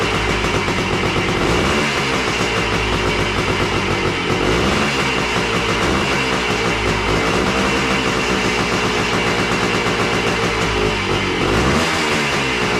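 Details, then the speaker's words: Yamaha AT3 two-stroke after ignition coil replacement, fed from a hose with gas, kick-started: steady crackly buzz with even beat, no stumbling or dying (previously died after 20–30 seconds); running cleanly. "Looks like it seems like it's going to run."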